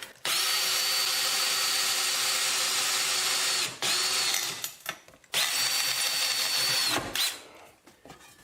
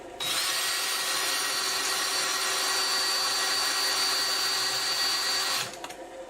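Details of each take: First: Drill boring through hard steel with an oiled bit over a backer board, building a homemade sawmill blade sharpener: high steady whine in runs of a few seconds, holding speed; cutting. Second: Cheap hand-sharpened Harbor Freight drill bit on hardened steel while building a sawmill blade sharpener: steady high drill whine with dry rubbing hiss, no cutting bite; bit not cutting, better-quality bit to be tried.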